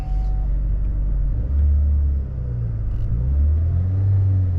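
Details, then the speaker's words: 2011 Saab 9-5 Turbo petrol, 104,592 miles, just after start-up at idle: low, even hum with no ticks or knocks, very smooth and quiet; healthy engine. "Very, very smooth, very, very quiet. So good engine."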